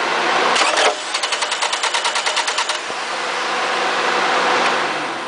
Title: 2az-fe стук в районе стартера 2